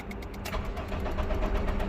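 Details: Honda Civic (2008 or 2018 model) after an engine replacement, cranking: starter churns the engine at a steady low beat but it never catches; crank no start.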